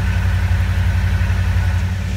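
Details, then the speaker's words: DeLorean running on a later-model 350 V8 with an electric fuel pump: deep, steady, even burble at idle, no misses or knocks; runs again, while the starter still works only intermittently, possibly a bad ground. "there you have this running my DeLorean runs again I'm so happy"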